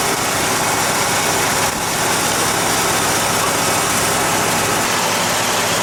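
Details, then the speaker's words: 1978 Jeep J20 4x4 plow truck V8, an auction buy, just after a very cold start with gas down the carburetor: steady raised fast idle, no misses, knocks or ticks. A healthy engine that hasn't idled down yet. "I can't believe it I think whoever parked this truck parked it on a velvet pillow I just hope it idles down though it hasn't yet"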